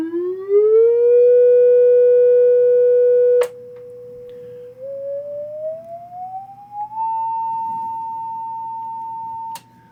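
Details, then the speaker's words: Vintage 12-inch guitar speaker on a power station test bench. A clean, pure tone glides upward and holds steady with no buzz, rattle or distortion, including through the lower frequencies where problems would show; the speaker sounds healthy. "anyway this guy seems pretty good if it's gonna have problems they show up in those lower frequencies"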